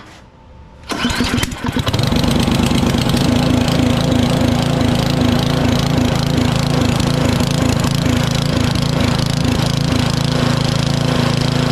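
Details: Powersmart 24-inch DB7651 snow blower with an LCT engine that wouldn't start or stay running. After carburetor replacement, primed once: a short crank, quick catch, then a steady, even chug; still smoking off old fuel after about two minutes.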